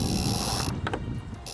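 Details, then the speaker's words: Laser dinghy mainsheet fed through the ratchet block in the correct direction: short burst of quick dry clicks as the line pulls through; ratchet engaging normally. "here you can hear the ratchet clicking which means we fed it through correctly"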